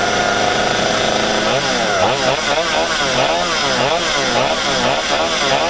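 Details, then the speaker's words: Stihl 025 chainsaw after replacing a leaking fuel line with non-Stihl line (saw previously wouldn't start): crisp two-stroke buzz revving up and down cleanly and holding steady between blips; fueling and running properly. "all right sounds like it's all full of fuel"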